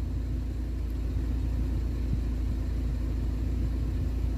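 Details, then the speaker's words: BMW 116i warm after oil change, previously rattling and stumbling: low, even rumble holding steady, no stumbles or dropouts; far fewer idle oil-pressure dips than before, rattle gone. Normal idle. "sehr flüssig und nicht mehr so viele Einbrüche vorher hatten wir wesentlich mehr Einbrüche im Leerlauf beim Öldruck"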